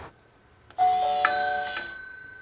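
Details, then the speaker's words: Mechanical doorbell driven by a Nest Hello, working after a diode was added and the bell enabled in the app: quiet, then a bright chime strikes twice and rings out with clear sustained tones; doorbell sounding normally. "So if I now open this door and press the bell, it works."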